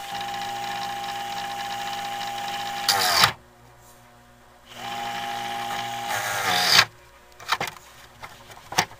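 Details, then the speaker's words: 1980s Black & Decker heater motor converted to a fan with metal blades, run on a light dimmer: thin, steady high-pitched whine rising and falling with speed, cutting out between runs; owner suspects it needs oiling again. "that was a decent amount of pitch it's a whiny motor sounds like I need to oil that motor again"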